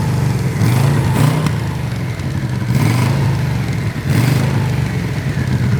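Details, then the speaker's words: Barn-find Yamaha Vmax running for the first time in years, cooling fan now working after overheating: several smooth throttle blips, but the exhaust note stays thin and flat with little bass punch. Weak, lame exhaust; owner thinks these exhausts must go. "It really doesn't sound that great. Like as far as meatiness, you know? I think these gotta go. Yeah, it sounds kind of lame."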